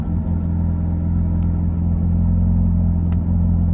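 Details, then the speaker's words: Car not originally E85 running on E85, just after cold start with potentiometer enrichment on, to be reset to zero after 30 seconds to a minute: steady even low rumble, smooth unbroken beat; healthy cold idle. "Alors quand le moteur il est froid, on laisse tourner un tout petit peu. Et après on peut remettre à 0 au bout de, je sais pas, 30 secondes, environ une minute."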